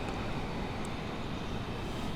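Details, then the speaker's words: Nissan Silvia S15 Spec R, nearly 20 years old, with titanium-tipped exhaust. Steady, even, tame low burble with no misses, knocks or rattles, not loud when revved; normal smooth idle. "And it's pretty tame sound, very, very nice, smooth running. It's not like over the top whenever you rev it up, so that's good."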